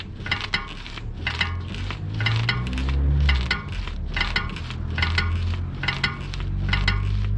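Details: BMW E60 with camera near the driver's side: short dry creaks about once a second over low engine idle as the steering moves; cause unknown.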